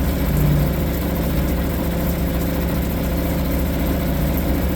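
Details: Suzuki DF 2.5 HP outboard, warm-started after a no-start blamed on the low oil level; steady, even putter at idle, no misses, knocks or surging. Healthy.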